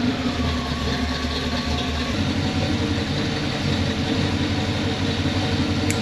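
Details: 1978 Pontiac Formula Firebird 350 V8, after swapping the Holley for a 600 CFM Edelbrock carburetor: deep steady even idle, no stumbles or knocks, snappy, good exhaust condensation. Normal idle.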